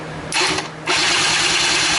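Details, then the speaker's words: Used Polaris Scrambler 90cc ATV in a starter test, powered by jumping the solenoid's big red battery and starter wires. Two starter bursts, one short and one longer, spin the motor over freely without firing. Normal cranking; spark is not expected yet. "Yes, motor turns over."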